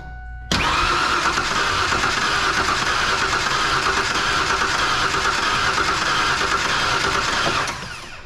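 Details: 1997 Ford Ranger 3.0 V6, spark plug wires connected to the wrong coil, caused a fire; engine revving steadily with a loose uneven beat like one cylinder missing; misfire on one cylinder.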